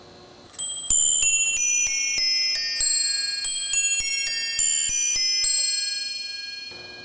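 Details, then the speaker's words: New Haven Chime No. 1 clock, early to mid 1890s, eight nested cup bells, restored: clear evenly struck bell notes, about three a second, in a Whittington-like quarter chime, fading cleanly; normal quarter chime. "remember this is before chime clocks had standard chime melodies so here is the quarter"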